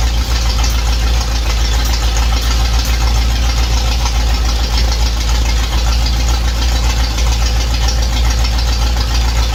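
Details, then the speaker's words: V8 idling steadily after an intake leak repair: intake resealed with silicone on both the block and intake sides, torqued, distributor reinstalled. Even lope with no ticking, hiss or misfire, and no new leaks so far. Normal idle. "well so far it appears I have no new leaks so I'm gonna let it cool down fire it up again"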